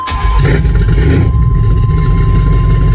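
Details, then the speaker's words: Carbureted project truck, de-winterized, after plug change, carb tuning and new PCV catch-can setup; cold start catches right away and settles into a steady low deep idle, clean healthy start. "God, that's so much better. It's going to be a low idler until it like warms up, which is the way this truck is right now, I believe."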